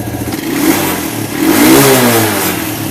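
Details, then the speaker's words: Carbureted Suzuki quad (ATV) with the choke on; before, it bogged and died when revved: the engine now picks up smoothly to higher revs and settles back with no bogging, stumbling or stalling. "now before you couldn't rev this thing at all it would just go up a little bit and then just bog right out and completely die so let's see how much RPM range we have now"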